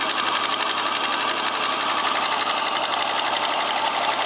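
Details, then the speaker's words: X30XE engine, cold start with check engine light on: steady rhythmic ticking knock about two per second over an even engine note; owner suspects the cylinder 1 hydraulic valve lifter; engine knock. "Заводим на холодную, горит ЧЕК Подозрение на компенсатор клапана первого циллинра"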